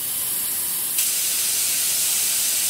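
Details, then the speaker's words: 2007 Volvo XC90 D5, Bosch CP3 pump, cranks but won't start: suction control valve removed from the pump but still connected to the ECU, ignition on. A faint hiss jumps to a strong steady rush as the valve opens; the valve works normally. "that's the computer opening it so i'm going to do it again now"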